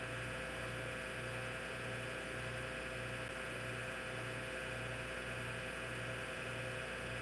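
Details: Hard drive in an IBM PC/AT that was damaged in shipping: a loud steady whir and hum with a regular pulsing drone. Spindle motor and bearing noise masks the head seeks, suggesting noisy, worn spindle motor bearings.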